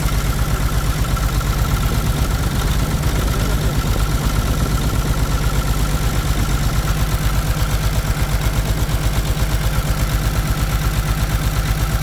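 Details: Caterpillar C13 heavy diesel idling during injector cut-out test on cylinders two and three, valve cover off, lumpy thump about 167 per minute, heavy smoke; one cylinder suspected missing from a bad injector, not confirmed.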